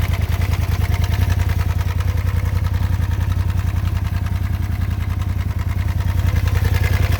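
Steady idle with a fast, fairly regular low pulsing around three beats a second and a faint clatter riding on top; some abnormal engine noise, cause unclear.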